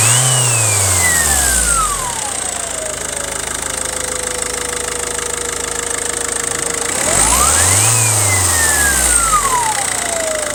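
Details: 2006 Volvo V50 D1.6 turbodiesel: a clear whine or howl rises and falls with revs, sweeping high then settling to a steady tone; turbo hoses mostly inspected, source not located.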